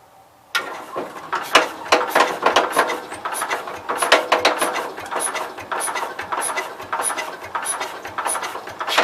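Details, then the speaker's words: Cub Cadet 122 garden tractor, cranked with the clutch pushed down and primed: fast metallic ratcheting racket from the rear while the engine turns over; cause not yet known. "Seems like when I have the clutch pushed down, there's a whole lot of racket going on back here."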